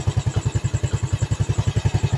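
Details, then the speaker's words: Yamaha Vega ZR single-cylinder after rebuild (one valve guide replaced, piston and camshaft modified), test start at idle: the earlier smoking and slight ticking are gone; even low thump around ten beats a second with no ticking or rattle, a healthy idle. "Yang tadinya ngebul dan agak sedikit punya etek-etek sekarang sudah hilang."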